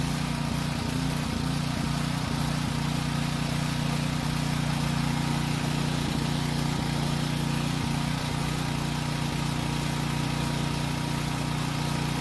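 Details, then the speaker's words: Generator that ran only on choke: steady even drone, constant pitch, no hunting or surging as load switches; normal running under load. "if it runs fine i'll move the work light plug from one outlet to the next"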